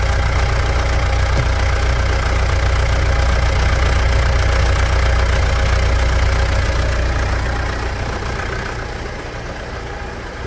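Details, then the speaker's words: Pajero Dakar 3.2 diesel after valve adjustment and a new timing chain tensor: steady, even idle with a smooth low clatter and no chain rattle or ticking; engine judged in excellent running condition after the repair. "após a regulagem de válvulas e o tensor da corrente novo o motor tá numa MZ de funcionamento vai lá e vou resumir com duas palavras para béns"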